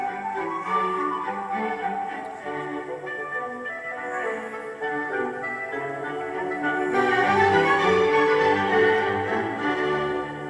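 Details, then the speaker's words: Philips 060 MK2 car cassette player with an electronic motor control system, not the old governor motors. Music holds rock-steady pitch on held notes with no wavering. Tape speed is steady, with no wow or flutter. "and as you can hear that electronic motor control system is sput on there's no tendency to wow or flutter"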